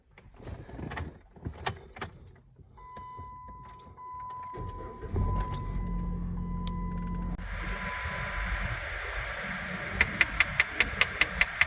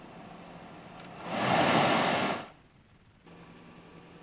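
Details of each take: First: Jeep Patriot HVAC: rapid, even clicking behind the dash over blower fan noise from a faulty blend door actuator, common on Chrysler, Dodge and Jeep models. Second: Jeep Patriot after HVAC blend door actuator replacement, engine started and vent positions changed: a rush of air swells then fades with no clicking behind the dash, so the blend door now works normally.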